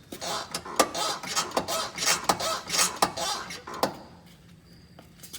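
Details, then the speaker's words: 2000 GMC Jimmy SLE front suspension rocked by hand: sharp pops about every three-quarters of a second with creaking between, despite all-new ACDelco parts (control arms, shocks, CV axles, hubs, brakes) except torsion bars; owner has no idea of the cause. "so my big issue when i'm wondering is what that popping sound could be i really do not have a clue"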